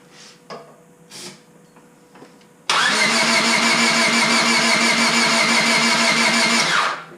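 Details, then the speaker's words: Honda Civic Si after engine rebuild, first start attempt with new battery, valve cover and distributor installed, fuel pump priming, starting spray in throttle body: steady cranking about three beats a second, no firing; crank no start, ignition suspected. "Must be ignition. Yeah, it's not even going at all."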